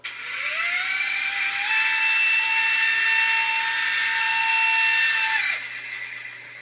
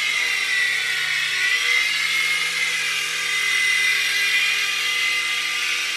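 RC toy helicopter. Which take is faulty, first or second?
first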